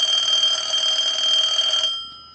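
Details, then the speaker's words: Clear Lucite Bell South Trimline telephone after repair, with two base neon bulbs removed to lighten the ring load that had been pulling the line down; analyzer sends ring cycle, steady high electronic warble, clean normal ring. "we'll send a ring cycle and you can clearly see the neon bulbs"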